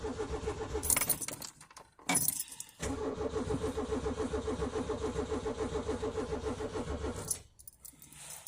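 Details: Peugeot 205, cold start at about 2°C at night: over four seconds of steady starter cranking, roughly three and a half turns a second, without catching; hard cold start.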